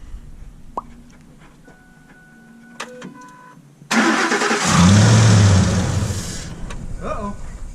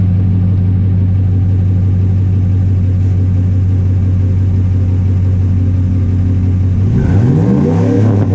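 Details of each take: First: 2005 Ford F-150 right after a Spectre cold air intake install: it cranks and catches, surges loud, then sags and falters instead of settling. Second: 2005 Ford F-150 with newly installed Spectre cold air intake, microphone down by the exhaust: deep steady exhaust drone rising and falling smoothly with each rev, slight crackle, no knocks or rattles; sounds deeper after install, healthy revving.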